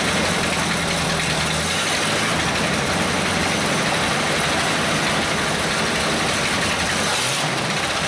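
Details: 1937 Buick limo, restored in 1980s and stored, first start in 25+ years, started with a little starting fluid. Steady, even low rumble with no knocks or misses, holding idle on its own.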